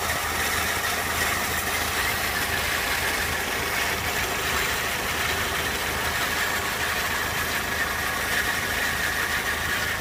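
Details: 2001 Peugeot 206 1.6 16V petrol at idle: a faint, high-pitched whirr running constantly over the engine, an odd noise. Owner guesses the clutch.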